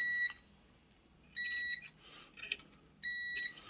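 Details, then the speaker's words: Haier DC inverter AC PCB with an E7 error: three clean, steady half-second multimeter continuity beeps on the fuse, showing it is intact; the board shows no burn marks, so it is next checked under power. "Fuse वगैरह ठीक है, इसको वोल्टेज ही देते हैं।"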